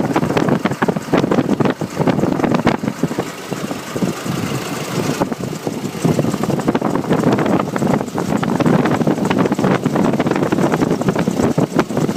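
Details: Nissan YD25 diesel engine at idle: busy fast clattering tick over a rough rumble; owner wonders if injectors, timing chain, belts, pulleys or turbo, source unidentified.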